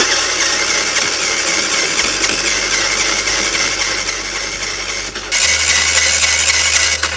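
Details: Motorcycle that would not start after a 50 km ride, cranked with the valve cover off: starter spins fast and even with no compression pulses, never catching. No compression from a stuck-open intake valve; owner suspects jumped cam chain timing.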